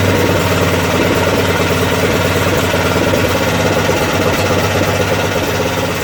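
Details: Craftsman 13hp OHV Tecumseh rear-engine tractor after the governor spring was moved down one notch to set rpm; steady even thrum, no hunting or surging; normal running, problem believed solved.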